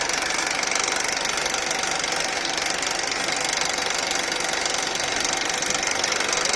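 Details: Honda Accord K24 engine at idle: a steady metallic rattle at about four a second over a sharp, tinny idle; cause not yet pinned down.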